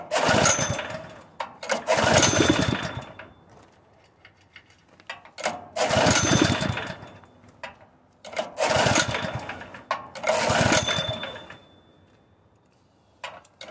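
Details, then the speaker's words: Honda GX160 engine on a portable air compressor, converted from gasoline to propane, bursts into life, dies, and catches again repeatedly while surging and stalling; owner suspects the compression release on the cam or weak valve springs and valves, unconfirmed. "it's so sensitive D so easy I'm beginning to think that the compression release on the cam is messed up or something something is wrong with this [Applause] engine"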